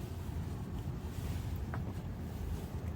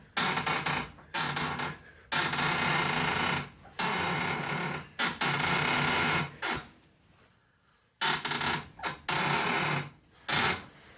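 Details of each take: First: 2006 Honda Accord 2.4L after replacing driver-side front upper control arm (worn bushings), driven 15 minutes: turning the steering wheel gives only low rumble and wind, no more suspension creaking. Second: 2006 Honda Accord 2.4L front driver's side suspension making loud harsh creaking groans in bursts as the wheel turns; a mechanic traced it to worn upper control arm bushings, not the lower ball joint; fixed by replacing the upper control arm.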